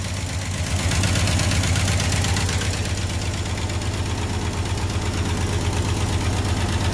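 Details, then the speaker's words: 1974 Ford F-250 High Boy 4x4, revived after years sitting: engine runs at a steady, even V8 idle with a smooth low rumble and no knocks or misses, timing set at 0 degrees, carburetor bowl filled with fuel. "All right, she runs."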